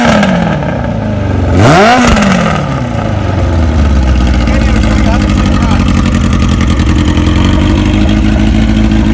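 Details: 1981 Kawasaki KZ1000 CSR four-cylinder engine (pulled from a KZ1000M frame) after new oil, new plugs and spark advance service: one throttle blip, then a steady, even run with no misses or knocks; healthy motor, doesn't smoke.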